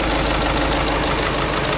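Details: VW Vento idling with check-engine light on and heater light blinking: rough, uneven idle with steady knocking under the engine noise, a misfire from a failed fuel injector, which was replaced.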